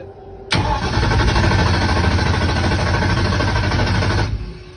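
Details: Mustang drag-racing car with a mechanical fuel pump, fuel just added, cranked on low: the starter churns in even pulses of about four a second for nearly four seconds and the engine never fires; cranks but does not start.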